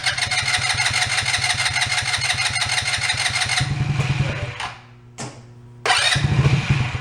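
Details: ATV that sat unused, after draining old fuel and refilling with fresh fuel: engine catches and runs with an even, steady firing beat, drops back and blips cleanly; running healthy.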